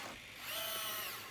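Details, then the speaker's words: Bruder 963 RC track loader with 4-in-1 bucket clamping an object: thin, steady, high servo hum for under a second from too much squeeze force; back off until the hum stops. "now if you hear that humming noise my 3d printer is going right now but if you hear that humming noise it's because you're putting too much force on those servers so you just back it down and you want to get get it to not hum because you're just forcing them servos"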